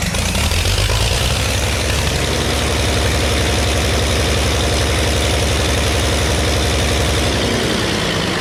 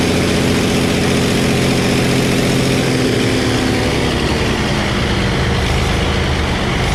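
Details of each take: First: Early Case 930 diesel tractor, believed 1960, possibly unstarted about 14 years, new filters, final filter primed, no exhaust manifold: loud uneven idle with irregular stumbling beat, a couple of cylinders not quite right, liquid from one; later ran out of diesel. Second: Early Case 930 diesel tractor, believed 1960, possibly first start in about 14 years: diesel clatter picks up crisply on throttle, then settles back smoothly with no lag or misfire; healthy throttle response.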